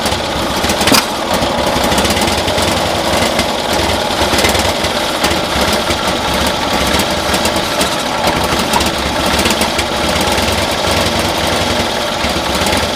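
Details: 1972 Cushman Truckster pickup twin, new carburetor and vacuum manifold fitted, still misbehaving: rough uneven putter with irregular stumbles and dropouts, appearing to misfire as rpm increases; idles better now; spark then compression to be checked, owner suspects timing.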